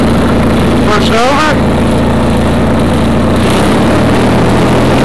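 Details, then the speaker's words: 1991 Craftsman GT6000 tractor, 20 hp Onan twin, after deck lift eyelet bolt weld repair: steady, even idle with a smooth low rumble, no misses, knocks or hunting; sounds good; normal idle. "Come on. Sounds good. Except for a little bow."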